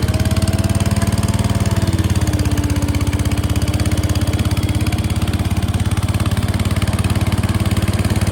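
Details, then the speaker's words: 1968 Case 155 garden tractor, revived and cleaned up, on a test drive: even, rapid thumping at steady speed with no misses or knocks; running cleanly. "okay guys got all the steel wool cleaning done we'll take it for a quick cruise and I'll take in the garage and show you how it turned out running"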